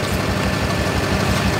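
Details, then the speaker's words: Truck shudders at 55 mph and can't go faster after a sudden bang and nose-drop while driving; uneven idle with missing pulses and a tap, as if down a cylinder; misfire, suspected cracked piston from heavy blow-by. "Something's not running right. Sounds like it might be down a hole."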